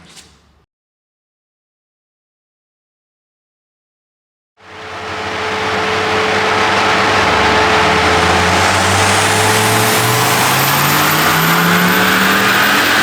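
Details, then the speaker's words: Audi on a dyno, MaxxECU tune, about 291–302 hp: after a silent gap the engine bursts into a flat-out roar with a thin high turbo whistle climbing above it under full load; a loud, screaming turbo, which the title calls too small. "Par contre, t'entends le turbo, il gueule."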